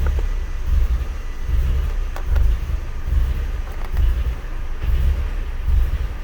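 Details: MK4 GTI at idle: low uneven rumble sagging and lifting about once a second, a misfire with low vacuum; B1S1 O2 sensor heater and malfunction codes, smoke tests found only small leaks, cause unknown.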